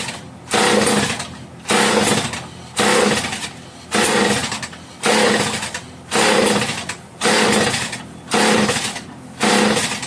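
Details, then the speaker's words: Homelite 150 chainsaw, lower compression than another, on full choke, deliberately flooded to prime carb and fuel line, no fuel seen in line: about nine pull-start cranks, short rasping spins never firing. "Take the choke off a little bit. I know I flooded it, but I kind of did that on purpose."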